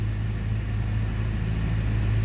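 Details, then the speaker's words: Series 1 Jaguar 4.2, cold first start after three weeks standing, new electronic ignition, original carbs and automatic choke, no throttle: deep, even idle rumble, no misses or surging, smoother cold than ever. "And by God, it's running smoother cold than it ever has."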